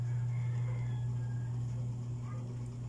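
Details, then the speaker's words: Dowell electric fan motor after adding a washer to replace the worn thrust washer: even, steady hum with no rattle, buzz or vibration; the former droning and rattling are gone, running normally. "Diba, wala nang vibration. So yun lang guys ang diferensya niya guys. Maugong na siya, wala na siyang ugong guys, wala na siyang ingay."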